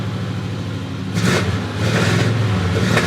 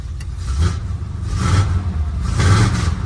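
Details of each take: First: Dually truck with a TBI fuel-injection system: revs climb, then stumble and sputter in uneven bursts and still break up. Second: Engine of a dually pace truck with TBI fuel injection picks up cleanly on light throttle blips and settles evenly, no misfire or stumble, after fuel pump replacement; timing may still need adjusting.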